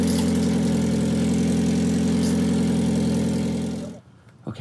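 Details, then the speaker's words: 2009 Toyota Prius, idling and revved after its catalytic converter was stolen: regular puffing chuff three or four times a second. Exhaust leak at the pipe joint, much better once the clamp was fitted. "and hit the gas okay there she goes sounds like there's a leak already"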